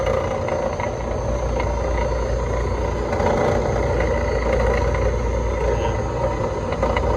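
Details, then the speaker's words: Electro Freeze ice cream machine right beater motor run in diagnostics mode: rough clattery drone that sounds like a slipping belt, but tracked to the failing beater drive motor; faulty beater drive motor. "All right, so you heard it, and it sounded like the belt, but always, there's too much complexity, right? You've got the motor, the bearings, you've got the reducer in here, you've got so many moving parts."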